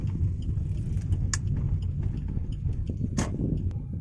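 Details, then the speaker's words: Suzuki Ertiga automatic, recorded inside the cabin while driving over speed bumps and turning: low road rumble with repeated "kluk kluk" knocks all along the road; front suspension clunk, fixed by replacing CV joint boot, stabilizer link and shock support. "Suaranya itu ada suara kluk kluk kluk kluk kluk kluk kluk gitu sepanjang jalan itu, Sobat."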